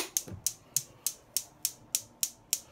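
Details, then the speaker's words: Neff gas hob with electric turned on at the wall: igniter spark clicks repeat steadily about three times a second and never stop; fix is cleaning the igniters. "you can probably hear that i'm going to see constantly going never mess around with electric don't ever touch this when there's sparks going on there because you'll get a shock"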